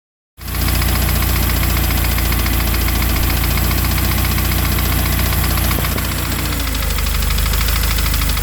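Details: Subaru FA20DIT petrol engine idling with the air conditioning on: steady idle with a light, regular knock of about four beats a second; engine knock.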